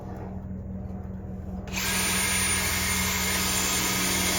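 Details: Cordless drill on a fresh battery, after the old one died, drilling out a broken turbo stud in hardened steel on a Caterpillar turbo diesel exhaust manifold aboard a 48 Ocean yacht: after a short pause it spins up to a strong, steady high whir. Normal operation.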